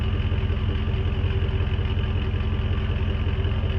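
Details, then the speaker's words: 2002 Jeep Grand Cherokee 4.7 H.O. V8 idling shortly after a cold start: steady even idle, no weird ticking or vibrations, runs really nice and smooth; tailpipe shows little smoke, owner notes it burns a little oil. "here no weird ticking or vibrations or anything like that motor runs really really nice and smooth"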